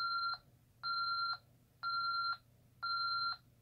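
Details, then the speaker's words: ADT SafeWatch Pro 3000EN alarm keypad just after arming, with a telco fault showing: steady two-tone beep about once per second. This is the normal exit-delay countdown. "go ahead and arm it here so it's armed to wait you may exit now you've got our exit delay here"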